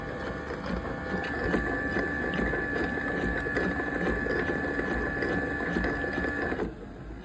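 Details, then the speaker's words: Robot mop's dock, bought at Goodwill, with an AC in the background: a steady pump hum with slurping gurgles that cut off near the end as water is sucked into the dirty water tank. Normal operation. "That's it, sucking the water out. Into that tank back there somewhere. It's gonna stop doing the thing. Sucking water up into the dirty water tank up here."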